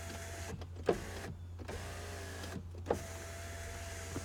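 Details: 2005 Volkswagen Jetta 2.0 turbo, automatic, no-start car with right rear collision damage: smooth motor whirs of about a second each ending in soft thunks as the glass seats; power windows work normally.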